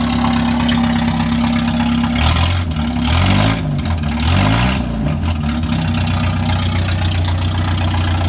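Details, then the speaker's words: 1961 Land Rover Series II petrol, hand-crank started, dead cold with choke fully out, muffler fallen off: raw, loud blatty exhaust bark at idle and blips, no muffling; before new muffler install. "yeah pretty loud I push the choking all the way huh she does idle for a little while but she's dead cold"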